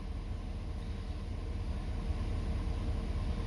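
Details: 2019 Ford F350 6.7 Powerstroke diesel, warm, idling after fuel filter changes, before revving to purge remaining air; steady low rumble with an even beat, no misses, knocks or hunting; the engine sounds healthy.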